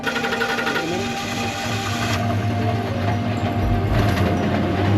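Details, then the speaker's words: Truck with a strong engine idling; fast, loose metallic rattle about four per second over the exhaust note, from broken catalytic converter pieces loose inside the muffler. "You know what that sounds like? Broken parts of your catalytic converter inside of your muffler. That's exactly what that is."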